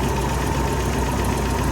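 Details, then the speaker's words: 1985 Toyota SR-5 pickup with 22RE engine, warm idle after new AC compressor: a quick, even tick over the engine note, a spark problem, likely a loose or arcing plug wire causing a misfire, before the valve adjustment. "What do we got ticking now? Oh, got a spark problem."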